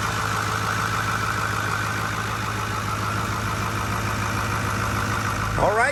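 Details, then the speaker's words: 2008 Ford F450 King Ranch dually, 6.4L Power Stroke turbo diesel, heard under the hood: steady, even diesel clatter with a smooth low rumble, no knocks or misses; normal diesel idle. "All right, guys, under the hood here is your 6.5 4-liter Power Stroke turbo diesel. Go ahead and have a listen and look."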